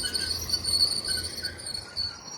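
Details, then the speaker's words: Large, wide field roller on a farm: a thin, steady high-pitched squeal over faint field noise as the roller turns, caused by a worn-out bearing; the bearing will be replaced. "Yeah, that'll explain the noise. That bearing's gone. Thought it was one of these captured."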